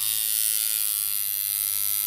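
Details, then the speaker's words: Reworked Temu coil tattoo machine with new capacitor and springs, at 7.6 volts, 106 Hz, 40% duty: steady, even high buzz, no stutter or rattle, tone shifting slightly when held; consistent, smooth running. "can hear the change in tone as my body absorbs a bit of the voltage there we go I mean it's a soft thingy Shader I suppose but there you go I mean look it's pretty consistent"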